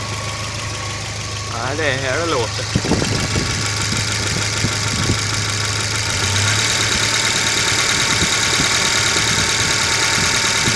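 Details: Volvo B230FB petrol four-cylinder idling with a low steady hum, then a few sharp knocks near the end; cause unknown.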